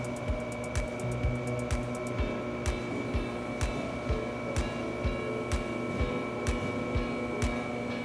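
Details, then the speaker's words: XLT conveyor pizza oven, version F-to-current control box, fan running, red light flashed once then solid green: the ignition module sparks normally with steady sharp snaps about twice a second while trying to light. "run so there you can hear it spark and and those are going to be some things that we ask you is okay do you hear it spark"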